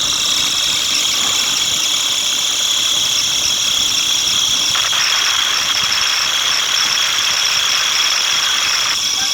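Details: Atlas Copco GA15 compressor with belt issue: steady high-pitched whistling squeal over the hum, brightening partway through, pointing to a slipping or worn drive belt.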